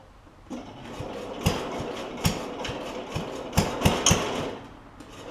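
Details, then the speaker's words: Cub Cadet 70 garden tractor, engine running while trying to engage the mower deck PTO clutch: uneven sharp clacks, roughly four a second; PTO clutch tries but fails to engage, owner thinks it is stuck or possibly adjusted backwards. "I think this clutch is stuck I think it's stuck unfortunately"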